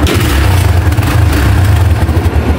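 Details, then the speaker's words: Barako 175 single-cylinder motorcycle with stiff kickstarter, after teardown and reassembly with timing marks set: steady even low thump at idle with no tapping or clatter; runs quiet and smooth. "Wala na kaingay-ingay. Tahimik na."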